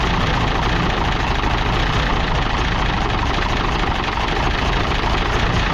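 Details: International D282 diesel in a Galion crane, running just after first start on a rebuilt Roosa Master DBG injection pump with new plungers. Steady, dense low rumble with no misses or surging; the owner suspects a bad valve on cylinder 1.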